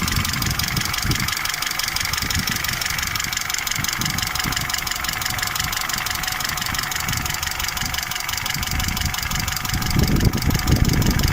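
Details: Peugeot 307 2.0 EW10J4 engine idling with a fast light tapping over the hum, steady with idle speed, from camshafts knocking due to worn bearing seats and journals; camshaft knock.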